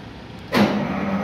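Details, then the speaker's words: CAT 3512 GD (2008) generator engine after clearing emergency switch fault and refitting panel: cranks and catches right away, settles into steady even running with no misses; normal start, non-start problem solved. "so you can heard the sound so viewers you can see now I have stopped the engine okay so my problem has solved"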